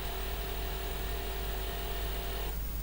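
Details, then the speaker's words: Osborne OCC1 floppy drive, cleaned and lubricated, power supply caps replaced, reaches welcome screen but won't boot; steady motor whir with faint high tone about 2.5 seconds then stops, system non-responsive until reset, from either drive. "and then it stops and the system is now non-responsive until we press the reset key so it's obviously doing something"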